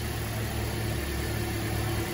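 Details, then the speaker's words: 2010 Toyota Corolla idling with a lumpy, uneven beat and stumble, shaking and limited to 40 mph; cylinder 3 misfire followed coil swapped to cylinder 1, confirming a failed ignition coil needing replacement. "Scopes rolling start it up definitely misfiring and yes it moved this is great"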